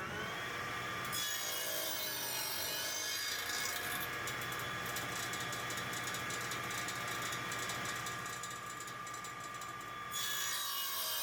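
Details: Old radial arm saw restored after years idle (capacitor and belt replaced, blade sharpened): steady motor hum with smooth, even rasp through wood, no chatter or bogging; normal clean square cutting.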